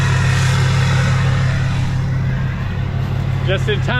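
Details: Hummer H1 Duramax diesel idling right after first start in 2.5 years, old fuel, primed a couple times: smooth even low clatter, about three beats a second, no misses or knocks; normal healthy idle.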